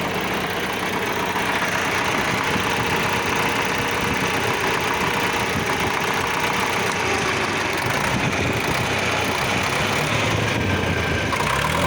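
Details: D-65 diesel engine: heavy clatter at steady idle with a hard knock underneath, attributed to the injection pump (TNVD); cause unconfirmed.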